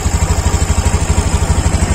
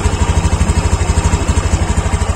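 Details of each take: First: Honda Beat Deluxe scooter idling with the cylinder-head breather hose pulled off: steady low idle with a lumpy chuffing pulse about twelve times a second from the open hose, clearly different from normal; a clogged hose starves camshaft lubrication. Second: Honda Beat Deluxe scooter idling: steady, even thumping about three pulses a second, no misses or extra noises, a clean normal idle.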